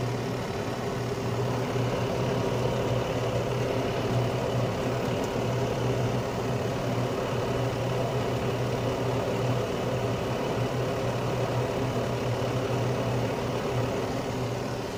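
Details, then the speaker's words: Carrier Infinity 96 58MVB-080 gas furnace in low-stage heat, blower back on pushing warm air through the house; even unbroken hum and smooth air rush, no ticks, squeals or scraping; normal low-stage heating. "so now the blower has come back on so now it's obviously pushing the warm air throughout the house"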